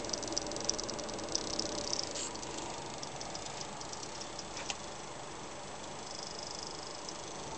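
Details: Seasonic-built XFX power supply, about two years old, in an HTPC under light load: faint irregular ticks that come and go at random after some time; owner suspects coil whine.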